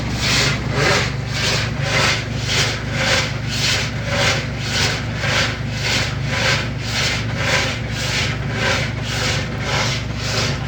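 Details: Washing machine agitating: rhythmic rasping scrape, about two a second, over the low motor hum; the drum is scraping against the metal sheet.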